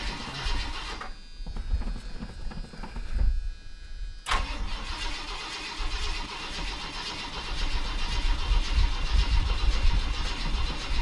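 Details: V8 with a 1966 four-barrel intake and Edelbrock carburettor in a donor junker, after sitting two days, pedal pumped: slow, uneven cranking for several seconds before it catches and settles into a rumbling idle; extended cranking before start.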